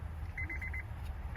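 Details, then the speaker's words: 2008 Honda CR-V (3rd gen), key on: buzzing or rapid beeping from the dash in short bursts with no crank, and the car only sometimes starts; caused by a faulty ignition switch, which is then replaced. "there's a buzzing sound coming from the the dash as you can hear and there's no start"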